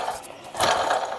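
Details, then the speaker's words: 1995 Plymouth/Dodge Neon 2.0, 38,000 miles, water pump spun by hand: short gritty loose rattle like marbles in a can; worn water pump bearing, pump being replaced. "that's what that noise was sounds like marbles in a can"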